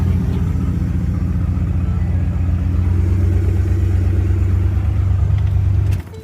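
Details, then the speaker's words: Ford F-150 at idle, first start after replacing valve cover gaskets on both banks; no smoke or engine light, but a heavy, uneven low rumble with a rough pulsing beat of unknown source. "That doesn't sound good. Is it this? Why is it making that sound?"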